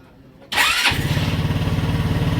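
Short crank, then it catches at once and settles into a steady, even single-cylinder idle with a clean pulse: healthy start.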